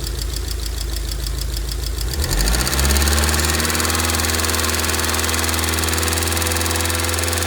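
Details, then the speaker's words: 2002 Rover 75/MG ZT engine, warm at idle with the temperature gauge normal, rather smoky. There is no obviously bad sound apart from a light, quick ticking from a couple of tappets, suspected to be losing some oil pressure. "but I cannot hear any obviously bad sound from the sound from the entr apart from a couple of taets that's loing a bit of oil"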